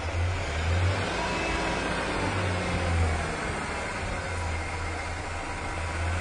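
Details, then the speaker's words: 1997 Ford Ranger, fuel pressure about 32 versus 35 minimum, bad fuel pump suspected: starts quicker but low uneven idle with occasional misfires, barely holding idle. Rough idle with misfires from low fuel pressure. "We see it increases pressure when it starts running, but it's still well below 40. There are a couple of misfires there. Barely holding an idle."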